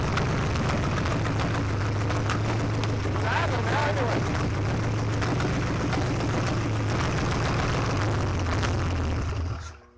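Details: Junkyard 1965 383 V8 after 30+ years sitting, new distributor, wet black plugs cleaned: deep, fairly even rumble holds steady for ten seconds before shutting off; runs acceptably.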